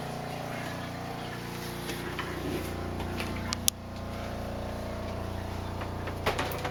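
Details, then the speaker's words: RV 12-volt water pump after fitting an accumulator tank and pump silencing kit: low steady hum with only a few faint clicks, quieter than before; normal running. "and that's what it sounds like I think that's better it's better than it was"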